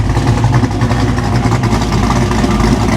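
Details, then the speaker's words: 1987 Chevrolet Monte Carlo SS V8 after an $18K build, heard at idle: deep, even V8 burble with a steady lopey rumble and no knocks or misses; healthy engine and exhaust. "Doesn't it sound nasty? Amazing."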